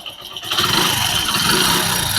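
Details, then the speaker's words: Kick-start Hero HF Deluxe motorcycle engine: quiet at slow idle, then a harsh high-pitched rattly noise rises when the throttle is opened; cause unknown; abnormal engine noise when revving. "जैसे मैं bike के accelerator को खींचूंगा तो इसकी और engine का sound है जो अलग ही साउंड है।"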